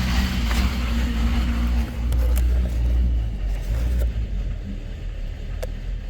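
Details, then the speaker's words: Ford 550 diesel truck, warm engine: an uneven idle with a low lope, beats surging roughly two or three a second instead of settling. The cause is unknown and the truck is headed to the dealer. "that's what the truck's doing when after the motor's warmed up I have no idea what's going on"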